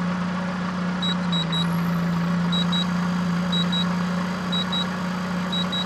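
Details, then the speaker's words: Sinergex Pure Sine 2000 Series 2 inverter powered from a running car alternator at about 13.8 V: paired high beeps about every second over engine hum as overload protection triggers and shuts the inverter down. "load levels very high and it kicks off so you know it's too good you know it's too high and it's shut the inverter down"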